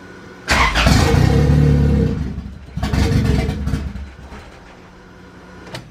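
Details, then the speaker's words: Honda Civic B20 VTEC with added boost setup, chipped P75 ECU running a basic map: catches and flares twice, each rev sagging within seconds instead of a steady idle; starts but won't idle. "yep all starts it's running it starts it starts but it doesn't want to idle"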